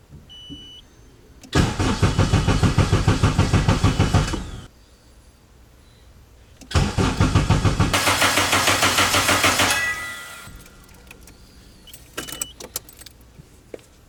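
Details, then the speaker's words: K24-swapped Nissan Cefiro turbo, first start attempt on a borrowed base tune with changed cam/crank sensor settings: two cranking bursts with rhythmic starter chugging, lots of fuel, never fires; ignition timing suspected off. "A lot of fuel, sound like, right? Sounded like it was gonna go. See, that's what's weird. Timing's off or something for sure."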